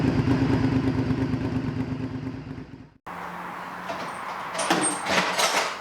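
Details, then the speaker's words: V-twin motorcycle just after exhaust refitted: deep, even burble at idle with loud, throaty exhaust, no knocks or rattles; sounds healthy. "let's see what it sounds like should sound the same as the other one it sounds bloody lovely"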